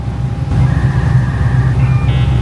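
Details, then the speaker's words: Shop-built bagged 1954 Chevy pickup with new Flowmaster mufflers tacked on: smooth, deep, even rumble with no rasp, rattle or popping, much quieter than before, sounding like a sports car instead of a dirt track car when given a little gas. "Sounds a lot better. Yeah, sounds a lot better. It's a lot quieter. Yeah, it's got a rumble to it. Give her a little gas. Yeah, that sounds a lot better. Sounds like a sports car now instead of like a dirt track car."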